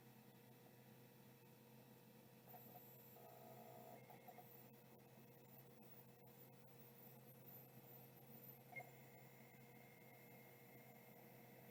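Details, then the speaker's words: Late stepper-motor hard drive spinning up: quiet steady hum with soft tones and a faint rising whine, no scraping or clicking; bearings sound good, no auto park, normal healthy spin-up. "that was an awesome sound I hope you could hear that uh bearings sound beautiful in this drive as well"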